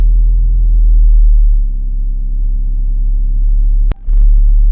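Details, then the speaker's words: 1994 VW Golf 3 Variant just after starting on a rebuilt fuel pump: deep even idle hum with one brief clunk partway, no stumbling or misfire; pump working, normal idle. "I mean, it started. The fuel pump is working, obviously, because the car is running."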